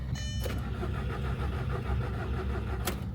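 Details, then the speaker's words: Mk1 Audi TT 225 (8N) with a new fuel pump relay fitted: turning the key gives only a click with no pump prime hum; the aftermarket fuel pump died after less than 200 miles. "When I turn the key, the fuel pump should prime. Just a click. I don't know if you guys are able to hear that. Just a click."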